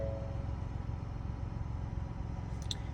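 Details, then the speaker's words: Ford Bronco with electrical faults (earlier no-crank, check engine light): after ignition switched off, low even idle rumble continues unbroken while electronics are off; engine refuses to shut down, cause undetermined. "turn it back off and it's not turning off the truck is still running you can hear it's still running all the elect El ronics are off"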